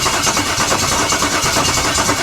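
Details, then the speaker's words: LS-swapped 1956 Chevy V8 with injectors pulled and one side's ignition disconnected, cranking at about five compression beats a second without catching; only the front injector, from a different engine, sprays fuel; crank no start from fuel starvation. "okay so this is the only one that's shooting shooting fuel so obviously with no fuel comes no ignition"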